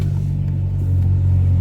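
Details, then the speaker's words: 2004 Saab 9-3 Aero 2.0T convertible with a custom decatted straight-through exhaust, about to be test-driven after a wheel hub replacement and not fully warm: a deep, steady, booming tailpipe rumble at idle. This is the loud, free-flowing straight-through exhaust note. "And as you can hear, my Saab's quite loud."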